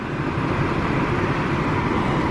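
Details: 2007 Chevy Impala LT with 3.5 engine, idling at normal operating temperature (gauge mid-range) during water pump job; steady, even low rumble with no knocks or whine, normal smooth idle.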